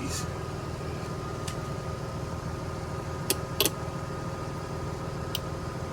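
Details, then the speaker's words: LS 6.0 swapped G-body Cutlass with 4L80E, before its first cold start: ignition switched on to power the harness; a few sharp relay clicks over a steady hum as relays pull in normally. "put power to this ignition which powers the harness up you should hear it the relays click on and that's turning the harness on so that she's ready to run"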